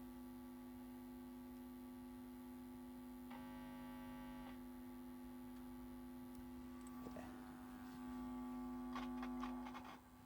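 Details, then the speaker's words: '65 Fender Twin Reverb Reissue tube amp (rated 85 W), chassis open after power-tube revalve and bias around 34: low steady residual mains hum after the hum balance pot was adjusted, about as quiet as it gets; faint handling noises near the end. "These come with a little hum balance pot. got rid of most. That's probably the quietest I can get her."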